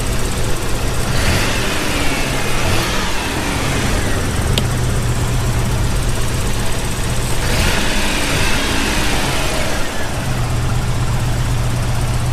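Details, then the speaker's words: Toyota 4Runner after swapping in a donor part: low idle rumble, slightly uneven, with a miss on brief rev blips, idle halfway decent, owner says ignition timing is off and still needs adjusting; rough idle from incorrect timing. "Has a miss. It has a miss somewhere. I think it's just the timing. That's what I'm talking about. Yeah, you hear that miss on the up rev? Yeah, that's the timing's off."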